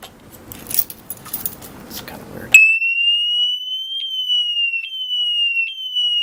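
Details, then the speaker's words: Urban UR6 alarm disc lock armed on a Victory Empulse TT, bike moved: after rustling, a loud piercing siren with small rises and falls sounds; motion-triggered theft alarm. "but yeah even if you just move it a little bit it'll go off so as long as they continue to move it it's gonna it's gonna go off"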